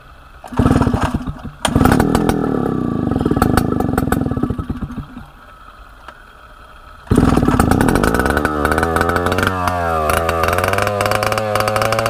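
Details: A 1960s Solo 626 70cc two-stroke chainsaw, long unused and not yet serviced or carb-cleaned, fires quickly, pops and stops, then restarts and revs cleanly with crisp, even throttle response. It runs very well.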